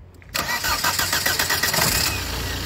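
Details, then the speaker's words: Idle of a used car that sold at a third of market value because of an engine noise; the engine fires promptly and settles into a steady, even idle with no misses, knocks or hunting. Runs perfectly at idle. "виждате, на празен ход моторът работи перфектно и всичко е наред."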